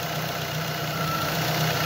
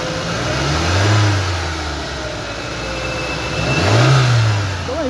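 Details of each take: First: 2007 Ford Focus petrol engine idling with a slightly uneven, lumpy beat as one cylinder drops in and out; owner reported intermittent power loss; fault traced to a fragile, broken fuel injector connector, and wiggling it restores normal running. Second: 2007 Ford Focus petrol engine, after replacing a broken fuel injector that caused intermittent misfire and power loss: blipped twice, revs rising and falling smoothly with no stumble or missed beats; smooth revving, no misfire.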